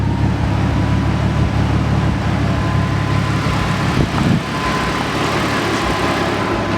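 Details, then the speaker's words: Nissan S13 with RB20DET engine on new Ecumaster Classic ECU, first starts: smooth, even idle with steady rushing radiator fan that kicks in and cycles around four seconds, cooling quickly to operating temperature; cooling system working properly. "Uh it's safe to say that the system works perfectly now. The fan kicks in as you can hear."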